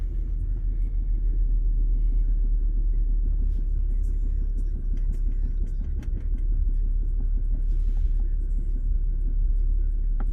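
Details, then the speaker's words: 2010 BMW X5 E70 30i going into limp mode with reduced engine power: lumpy, uneven idle with heavy shaking and missed beats; misfire suspected from ignition coil or spark plug, cylinder one reading off in smooth-running values. "like right now this car is like really shaking so I know that it's probably an ignition coil or a spark"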